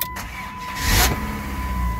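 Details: 2006 Dodge Stratus that would not start due to a defective SKIM module, after SKIM disabled in the NGC 3 ECM: chime, then a short crank catching immediately into a steady low idle; starts cleanly.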